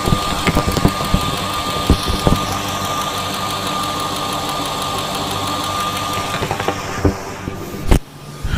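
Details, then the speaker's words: Steady idle with a crisp, even tick at every injector, heard with a stethoscope before an injector rebuild; all injectors sound similar, normal operation, resistances later measured around 14–21 ohms. "okay so all of the injectors do sound similar you can hear a distinct ticking so now let's uh check and see what the resistance values on them are"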